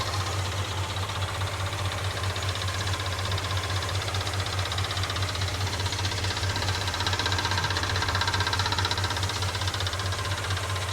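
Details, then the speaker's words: 1969 Ford F100 Ranger, first start in years, warming up: steady idle with fast, rough ticking clatter from a worn mechanical fuel pump; factory-style replacement ordered. "That fuel pump sounds rough. I ordered a factory style one."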